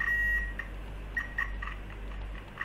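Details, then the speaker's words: Simple digital multimeter on continuity test: short, loud, clear high beeps start and stop with probe contact, slightly crackly and not latching; continuity buzzer works normally. "a nice display over there the committee buzzer does the job okay"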